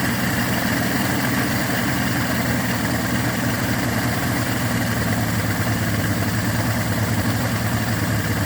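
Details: Yamaha 225 hp outboard after JB Weld repair of the block between cylinders 5 and 6, with compression of 120–128 psi: low, even idle with a steady beat, no misfires or knocking. Normal idle.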